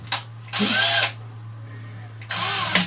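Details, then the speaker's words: Stihl 145° pole trimmer head (700mm), spun fast by a drill at maximum speed in the clockwise direction, makes two bursts of harsh high-pitched rasping grind; the noise comes from worn cam drive gear teeth (Stihl cog 4243-640-1600). "and remember these turn clockwise cuz if you turn it anticlockwise you'll also get a noise but you can hear this and this is what caused the problem"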